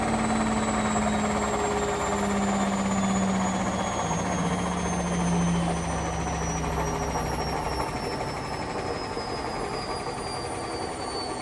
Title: Hotpoint With Bad Bearings Final Spin